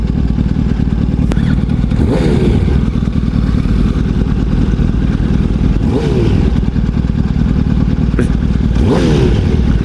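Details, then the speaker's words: Motorcycle with a Power Commander fitted, not running right: idle speed surges and sags with inconsistent rpm and has to be held at high rpm. Owners unsure whether it needs troubleshooting or reprogramming; cause unknown. "but his this bike is not running right properly it's uh it's inconsistent rpms"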